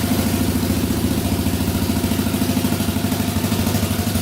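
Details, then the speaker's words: 2004 Yamaha Raptor 660 quad, sat a while, restarted instantly after brake inspection: settles straight into a steady even idle putter with no knocks or rattles; essentially good to go. "Instantly. Alright, so this thing is pretty much good to go."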